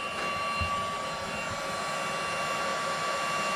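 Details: Cordless heat gun used to shrink solder sleeves: steady, even blower rush with a clear high whine held constant, running at full strength after a fresh battery went in.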